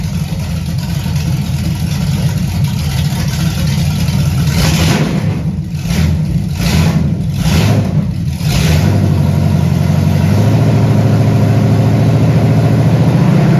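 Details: 1978 Camaro 383 stroker with Vortec heads, first start up: deep steady idle with slight lope around 3.5 pulses per second from a mild cam, running evenly; not high compression, owner hopes around 325 hp.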